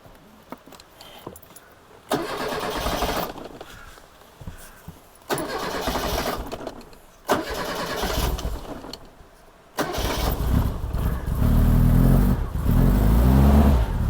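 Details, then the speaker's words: 1987 Reliant Rialto barn find, on choke: several cranking bursts, then catches and settles into a low, somewhat uneven run; starts very quickly and runs. "That was a quick answer to will it start. In fact, I think that's the quickest starting barn find car I've ever had."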